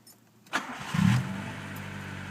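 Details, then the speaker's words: 1992 Honda Civic LX, about 172,000 miles, automatic converted to 5-speed manual: cold start catches at once, first idle about 500–1,000 rpm in warm-up cycle, slightly rich mixture that settles to steady even low idle; normal cold start. "as you can hear it primed up on the very first idle is right around 500 to 1,000 you can see it's in warm-up cycle right now and the uh fuel mixture is a little rich but it does dwindle down and then compensates and does normal sweeping"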